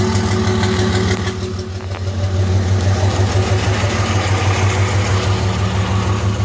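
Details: 2005 Cummins diesel with white smoke idles with a steady uneven lope, about three beats a second, one cylinder missing; injectors had passed testing, but #3 exhaust manifold ran hotter and injector #3 proved bad.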